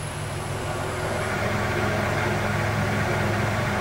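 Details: Lathe motor on a VFD after carrier frequency adjustment: steady low hum, faint high drive whine disappears, quiet run with whine removed.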